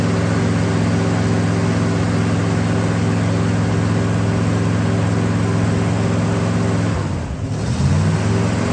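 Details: 1965 Pontiac Catalina V8, first start after 20 years, restarted after tightening a leaking fiber-washer fitting that sprayed transmission fluid: deep, even burble, steady firing, no knocks or misses; normal running, leak stopped, smoking expected.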